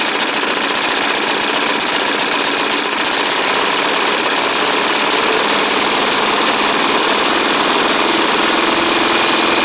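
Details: Snapper hi-vac push mower, Tecumseh engine, first run after carburetor swap: loud fast uneven chatter about four beats a second over buzzy running; rough with light knock, owner may add 20W-50, cause unclear.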